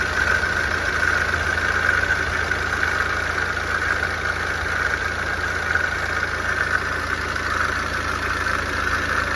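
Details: BMW N47 diesel idling, before repair: a steady raspy whir from the front of the engine over the idle, traced by hand-rotating the pump with the belt removed to a bad coolant pump, then replaced.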